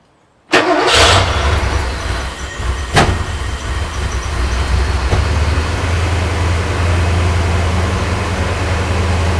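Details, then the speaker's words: Porsche 928 with timing at 10° BTDC (target 23°), very thirsty, starting for timing work: starter churns several seconds with steady low drone but never catches; crank no start, likely out of petrol again. "that sounds to me like there's no Petrol in it again um I'll try a couple more times but that would be my guess"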